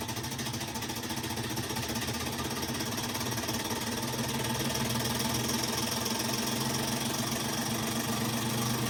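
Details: Kenmore washer: loud rumbling with a rapid, somewhat uneven knock, about three to four a second, throughout the spin; worn clutch, repaired by removing motor, transmission and clutch.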